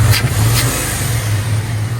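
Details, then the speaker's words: Second-gen Dodge Ram after new plugs, wires, distributor cap and old rotor refitted, which cured a no-start and stumble: deep smooth rumble through a brief rev with no popping or stumble; it runs normally. "Anyway, it's running. It's running pretty good, actually."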